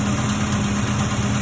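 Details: 1990 Volvo 240 wagon with a fuel-injected engine, first start after replacing a burnt aftermarket alarm fuse that had stopped the fuel pump. Smooth, even, steady low idle with no misses, knocks or hunting; normal idle.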